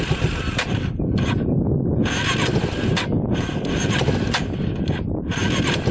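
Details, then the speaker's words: Yamaha Warrior 350 quad after several fixes, on test ride; revs up and drops cleanly with no popping or backfiring, smooth with good power, hardly smoking. "Alright, it's running perfectly. Super smooth. Good power. Hardly smoking now."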